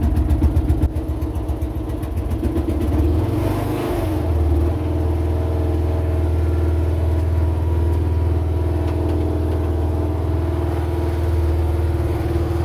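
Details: Meec SN210 snowblower, previously sputtering and dying on its own, after finding a mounting screw threaded into the fuel tank leaking fuel: small single-cylinder engine settles from rough first seconds into a steady, even thrum under load; runs cleanly.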